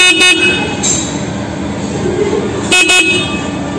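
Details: Honda PCX 150 (new model) horn: short, loud, clear blasts with a steady bright tone and no rasp, sounding normal after fixing a weak, quiet horn by pushing the horn unit backward.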